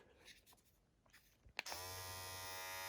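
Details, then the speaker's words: Opove X Prime rechargeable hair clipper, fully charged, switched on at about speed setting 50 (owner guesses 5000 rpm; settings 60 and 70 also available). A clean, constant high buzz with no rattle or wavering; the motor is healthy. "it's at 50 i i guess 5000 rpm 60 70 and i i was using 50. you can hear the difference"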